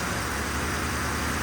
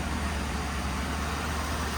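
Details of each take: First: 1966 Ford F100 on a 2010 Crown Victoria chassis, fuel pump disabled via inertia switch, running on a squirt of starter fluid: brief loud even rush with no knocks or rattles; engine runs quiet and healthy. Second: 1966 Ford F100 on a 2010 Crown Victoria chassis, fuel pump cut off via the inertia switch and running on a little squirt of fuel: a low, uneven idle that wavers and stumbles, about to stall from fuel starvation.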